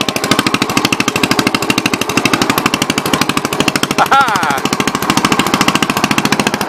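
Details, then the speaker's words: 1963 Cub Cadet garden tractor on first drive, new shifter fitted, throttle and choke cables not yet connected, driving in gear: quick, even single-cylinder beat, about ten pops a second, holding steady under load; healthy running. "one more third gear oh yeah now we're cooking with gas"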